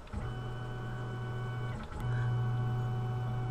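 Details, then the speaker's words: Tormach CNC mill, X axis jogged before the Y axis ball screw replacement: steady even motor hum with constant pitch, no grinding or knocking; normal axis drive sound. "sounds pretty normal the X yep that's about what they sound like"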